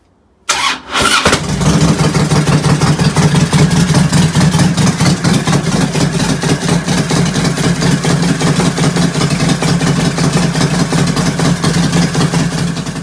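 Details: 2007 Harley-Davidson Road King in neutral after front motor mount replacement, bolts snug before torquing: quick start, then an even deep lumpy V-twin idle with no knocks or rattles; normal idle.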